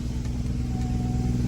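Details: 1999 Freightliner FLD120 truck on a cold 38°F morning, Green APU running: constant, low, droning diesel hum holding steady with no knock or surging; the auxiliary power unit runs normally.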